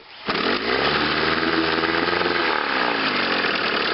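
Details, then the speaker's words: Chrysler outboard in a test barrel with test prop, in forward gear, after new condensers, cleaned and adjusted points, new water pump, rebuilt carburetor and fuel pump: starts first pull, steady even buzz, ignition misfire gone. "so anyway we'll say it the M fire is gone"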